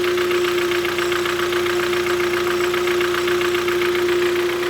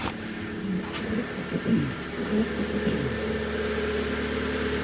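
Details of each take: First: Kia Cerato 1.6 G4FC petrol engine, 212,000 km, automatic, using about 2 L oil per 10,000 km. Loud rhythmic diesel-like clatter at idle from piston slap, especially audible inside the cabin; block sleeving planned. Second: 2011 Kia Cerato 1.6 G4FC automatic with 212,000 km, after repairing piston slap by sleeving the block, recorded from outside: brief blip, then an even, quiet idle; the earlier piston knock and dieseling are gone.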